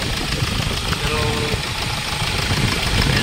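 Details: Hyundai Starex diesel, recently overhauled after overheating, at idle: sharp, uneven knock over the diesel clatter about three times a second, with heavy vibration; injector return test points to leaking injectors.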